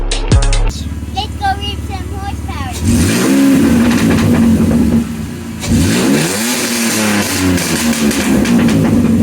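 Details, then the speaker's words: Buick six-cylinder rat rod after MS43 conversion and fixing a vacuum leak, first run after engine reinstall: revs rise and drop with an even, steady note and no stumble or misfire, running on all six; normal running. "so as you can tell and listen it's running smoothly on all six never done that before huh audrey"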